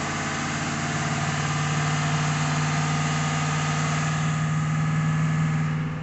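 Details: 5.3 V8 after an oil pressure problem was fixed: smooth, even idle with a steady low hum, no knocks or ticks; no real white smoke; engine sounds healthy.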